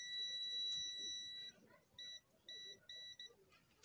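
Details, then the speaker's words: Loudspeaker horn driver unit tested with a beep signal: clear steady high tone, one long then several short pulses, clean without buzz or rattle; this unit is fine, wrongly thought faulty. "उससे आवाज़ आ रहा है दोस्तों, तो इसका मतलब है ये बिल्कुल ठीक है और ये गलती से आ गया उनसे कि शायद ख़राब है।"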